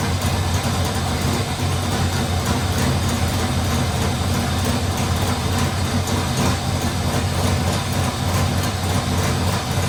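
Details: Freshly installed LS3 V8, first start after fixing one wire, oil in but no transmission fluid: loud, heavy, steady rumble for ten seconds with no knocks or misses; normal running.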